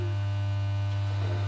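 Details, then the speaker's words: Pye G73 valve amp/radiogram power supply being mocked up on the bench: a steady, deep low hum sits constant under the music, likely mains hum getting into the amplifier; its source is not yet found. "There's a bit of humming in there. Where's the humming coming from?"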